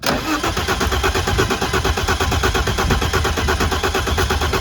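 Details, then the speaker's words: 1991 BMW E30 with 2.7 stroker M20, Megasquirt ECU, individual throttle bodies, sat 3–5 years: steady starter cranking nearly three turns a second, never catches; spark present, no fuel, pump not heard, dead fuel pump suspected. "spark so we have a dead pump order there's no fuel in here so that's good just fill in there"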